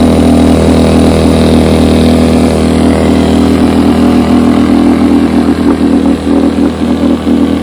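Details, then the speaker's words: Rebuilt carburetor from a 1972 Evinrude 9.5 HP outboard, test run on a test motor: runs at a steady, even beat around four firings a second with no stumbling or surging; carburetor fuelling properly. "Okay, here we go with the test run. I got Jeff's carburetor put on my test motor, and I'm about to give her a crank up run here. Let's see how that goes."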